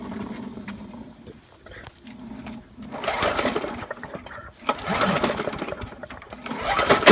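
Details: Trash-picked Poulan Pro lawnmower found hydrolocked with too much oil, oil then checked within range: engine catches unevenly, surging and sputtering in ragged bursts before roughly picking up; running rough.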